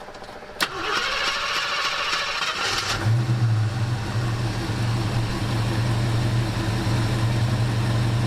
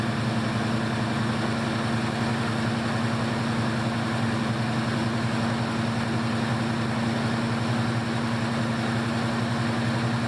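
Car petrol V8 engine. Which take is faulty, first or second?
second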